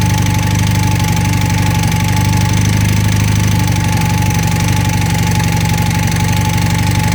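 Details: 1980 Honda CM400T engine at idle: steady low rumble with a fast, faintly irregular tapping, about four per second. Abnormal engine noise of unclear cause.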